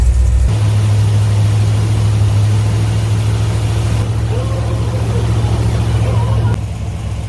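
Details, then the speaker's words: Small-block truck after converting from a mechanical fan to electric fans set as pullers, warming toward 180°F with the fan not yet on: deep, steady idle rumble with an even lope and no fan roar; much quieter, the engine sounds healthy. "so much quieter up here the fan still hasn't turned on yet"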